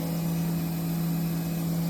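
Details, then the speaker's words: Haas VF-2SS 2009 vertical CNC mill, about 4,325 power-on hours: spindle running at 10,000 rpm with consistent 3–5% load, clean steady hum with no rumble; normal spindle running. "That last range at 12,000 RPM. Again, about the average same load. So even at that high RPM, the bearings sound great."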